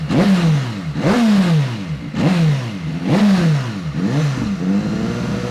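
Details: Rebuilt salvage BMW S1000RR superbike, warmed up, with new aftermarket exhaust just slipped on: crisp rev blips about once a second, climbing and dropping cleanly with no knocks or misses; healthy engine.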